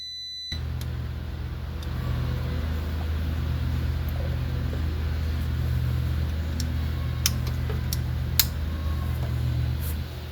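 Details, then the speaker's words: 1960 Chevy C10 235 six after 40 years sitting, on booster and charger, spark confirmed: steady cranking about three and a half beats a second for ten seconds, never catches; owner suspects weak compression, blow-by, unseated rings; cranks no start. "Well, it's trying to fire. I think our compression is just so weak. We're gonna have to just crank it to warm it up a bit."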